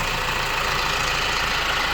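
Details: Opel Insignia at 184,000 km (said to be 306 hp), idling before disassembly, checked on a diagnostic device first: a steady fast metallic clatter with busy upper-mid chatter over the idle, diagnosed as timing chain rattle.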